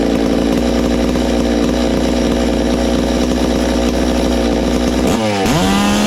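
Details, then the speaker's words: Ported Farmertec MS660 two-stroke chainsaw after adding a muffler-cover port, timing check and tach tuning (22° blowdown, 100 exhaust, 80 intake): steady, piercing full-throttle scream dips briefly and snaps cleanly back; louder, healthy high-rpm run. "wow it's got a lot louder hopefully we've done something wow oh"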